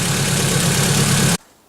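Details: Ford Focus running again after rebuild and drive belt refit: steady, even low idle rumble with no knocks or misses, then it cuts off abruptly; engine idling smoothly and healthy.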